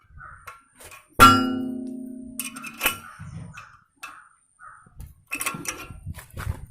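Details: Royal Enfield 350 motorcycle rear brake pedal: one sharp metallic clang ringing for about a second, then light rattles; rear brake pedal clanging, cause not pinned down.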